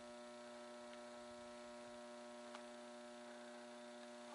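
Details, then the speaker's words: Mercury vapor yard light, capacitor replaced, drawing 2.14 A, 67 W, not yet warmed up: loud steady mains hum with buzzy edge, surge as lamp strikes; ballast transformer still very noisy, fixture vibrating enough to jingle the bulb. "well so far so good still very noisy 2 14 amps 67 Watts"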